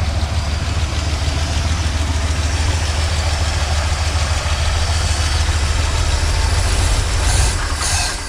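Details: 1977 Chevrolet C10 small-block V8, first start in possibly many years, on choke: deep, steady idle with an even low rumble and no knocking or misfire standing out; normal idle, though a troubling noise appears later when rpm drops.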